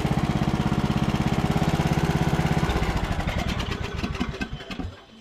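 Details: Long-abandoned MTD Bolens riding mower after carburetor cleaning and new needle and seat, started without choke: catches quickly, settles into a steady, even single-cylinder putter with no sputtering, then winds down cleanly; healthy start.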